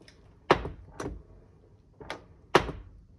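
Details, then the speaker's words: 2012 Toyota Highlander door opening and closing with sharp pops, believed from a worn door check/checker strap; fixed by replacing the door check. "that poppy noise i believe is from this worn out you know worn out checker and door check"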